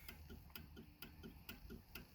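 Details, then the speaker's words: 1995 Cadillac Fleetwood: with parking lights on, turn signal clicks about twice a second, plainly faster than normal, hyperflashing though the bulbs are fine; with them off it flashes normally, cause unknown. "yeah it's flashing faster turn that off it's fine but when i turn it on that's unusual i've never seen it behave like that before"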